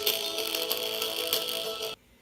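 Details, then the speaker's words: 1998 iMac G3 internal speaker playing music: thin, tinny sound with a buzzy rattle on louder notes; the speaker foam surround has rotted away, so the cone rattles loose. "so over time this foam will start to dry up and crumble and eventually it'll all just disintegrate away that is dry foam rot and now the little circle is just gonna it's just gonna rattle around so that's why that's why the music sounds like this"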